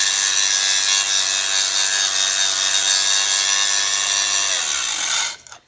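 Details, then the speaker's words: Roughly 7-inch, 1/8-inch 3M Cubitron wheel grinding hard facing: harsh hissy grind while the grinder bogs under steady heavy pressure, then spins down and stops; normal load bogging. "i'm trying to put the same amount of force on it as as much as possible and like that one there you could hear the grinder bogging and that you know i'm trying to keep the same pressure the grinder is bogging"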